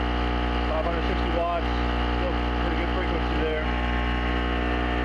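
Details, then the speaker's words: Chicago Electric (Harbor Freight) 800 generator as a space heater's first notch is switched on: steady engine drone with brief fluctuation that recovers, no hunting or surging; holding speed and frequency fine. "So we'll turn on the space heater, the first notch here. You'll see a little fluctuation, but it comes back."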